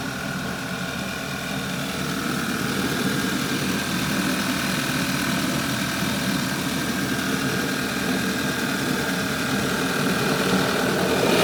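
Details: 2011 Audi A5 2.0 TFSI at cold idle on first start-up only: a loud, steady vacuum-cleaner-like air rush with faint whistling, source unknown; the noise is absent when warm and the car pulls hard to 140 km/h.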